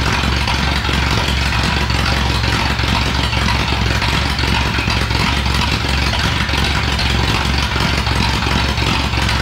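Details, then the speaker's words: 1937 Ford flathead V8 that sat a year, 6-volt system running only on the battery (maybe 5 volts): uneven, lumpy idle dropping out every few firings over a clattery background, a misfire; low voltage suspected. "uh it's definitely not running the best it's it's uh missing a bunch of times but we're only running on the battery"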